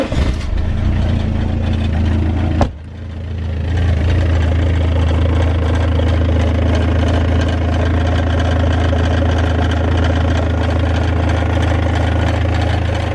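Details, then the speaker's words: BMW 320d diesel before DPF downpipe catalytic converter replacement: cranks and catches, then settles to a busy idle with a loose metallic chatter underneath; rattle from the catalytic converter/DPF downpipe. "Okay then, so before we get started, let's actually go ahead and get this thing fired up just so you can hear the rattle that I am experiencing."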